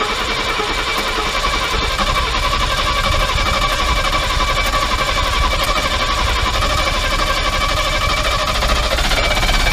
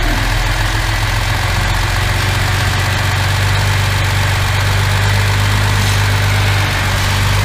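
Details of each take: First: Mercedes W114 freshened engine on first starts, a big vacuum leak heard and tightened: lumpy idle with irregular chuffing about four a second; ignition timing believed really badly retarded. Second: Mercedes W114 freshened engine, official first start: steady even low idle with smooth unbroken beat, no misses; running healthy with no smoke.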